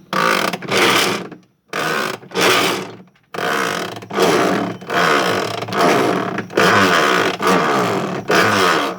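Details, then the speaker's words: Electrolux washing machine agitating normally in its wash cycle: rhythmic swishing strokes just under a second apart with brief pauses, strong enough to shake the camera. A worn part inside would cause the strange noise. "vocês podem ver que a câmera até balança que eu tenho que usar à noite para poder fazer isso aqui ó que é o que a máquina faz quando tá lavando"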